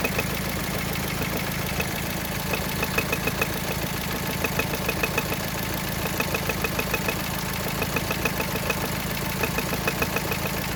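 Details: Engine quiet while driving, light ticking only at idle that slowly grows louder: fairly regular, slightly erratic ticking over smooth idle; owner suspects connecting rod bearing damage, cause unconfirmed.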